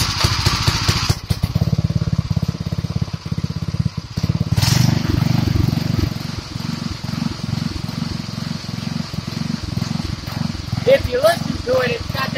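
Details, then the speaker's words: 1964 Wheel Horse Lawn Ranger single-cylinder engine, first run in about two years after restoration and a carburetor rebuild: idle speed swells and sags instead of holding steady, then dies; owner suspects a carburetor fuel problem. "surging problem and i'm trying to get it out of it and i cleaned it and everything and i can't do it and then it dies out so it's got a fuel problem definitely it's in the carburetor"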